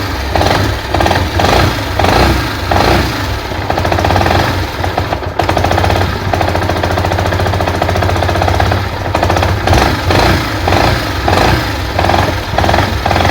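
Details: Yamaha SZ-R at idle, after clutch and engine work elsewhere: rough repeating clatter, about one or two knocks a second, over the engine beat from the clutch housing (right-hand cover) side; engine knocking noise.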